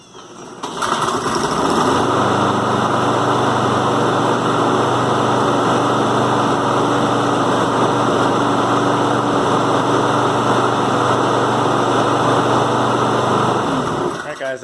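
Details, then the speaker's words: John Deere JS36 mower that would not stay running, after carburetor cleaning cleared a small obstruction: catches within a second and holds a smooth, even run with no surging or misses; running normally. "can see it was just that little obstruction there that kept it from running so that's the importance of keeping your air filter clean and making sure that nothing gets sucked into the carburetor else it won't start"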